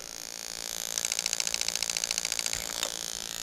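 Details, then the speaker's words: Lexus LS400 1UZ-FE (96-97) rebuilt harness bench test on stock ECU, forced RPM signal: crisp even injector clicks about three or four per second over faint coil spark ticking; injectors opening and closing normally. "so we've got injector that's fully closed because i've got higher rpm on there and then as soon as i turn it off there it goes to fully open"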